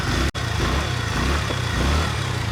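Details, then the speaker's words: TVS Ntorq BS6 scooter, about 38,000 km, after engine work to cure a ticking sound: steady, even single-cylinder putter at idle with a regular pulse and no ticking or knocking; engine sounds healthy. "Sound मस्त है ना बिल्कुल एकदम मस्त sound होगा"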